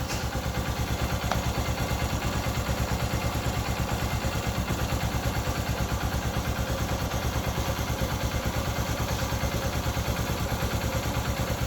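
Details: Honda XR150 with 18,000 km, second start after a cylinder-head noise repair and oil-pressure check: single-cylinder thumping at a steady, even idle with no knocks or ticks; normal idle.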